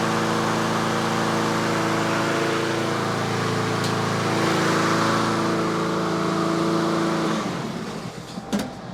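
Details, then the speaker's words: Yard Machines/Yard-Man (MTD) 21-inch self-propelled push mower in for tune-up, warming after start, about 3300 rpm set speed: steady even drone holding one speed about seven seconds, no misses or surging, then winding down; normal running. "so that's the inductive attack it's running about 3300 that's where i normally set them so so so so"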